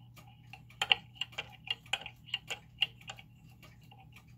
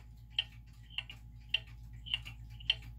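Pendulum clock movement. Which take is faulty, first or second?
first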